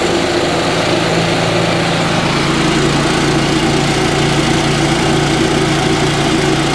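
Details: Yamaha G29 golf cart engine after full rebuild, first run in neutral: steady even idle with a smooth constant drone, no knocks or misfires.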